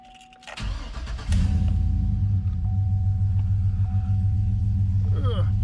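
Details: Chevy 2500HD tow truck just after a MechMan alternator install and belt refit: a short crank catches quickly and settles into a steady, even idle with no misses or squeals; strong charging voltage, no codes; normal start and idle.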